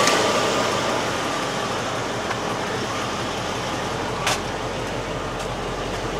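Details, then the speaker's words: 1988 Mercedes-Benz 560SEC Euro on the lift: engine runs evenly with no misfire or knock, smoking less; unsure whether lean or rich, to be checked with a CO meter; old fuel suspected. "it rents nicely it runs okay not sure if it's running lean or rich but i'll i'll get that figured out when i plug my co meter in"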